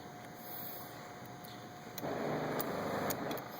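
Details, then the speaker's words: Methanol injection pump during flow-sensor test with boost control solenoid grounded to run constantly: faint steady whir, then about two seconds in a louder hissy buzz as methanol flow starts; pump working normally. "you can hear how it changes I don't know if you can hear it but and I'm definitely getting meth flow"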